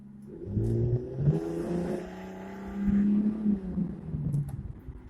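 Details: 2001 Lexus GS300 that had a misfire, rough idle and hesitation: after the VVT-i oil control solenoid was removed and cycled with jumper wires, the engine pulls up smoothly with an even rise in pitch and no stumble. The exhaust is still unfinished.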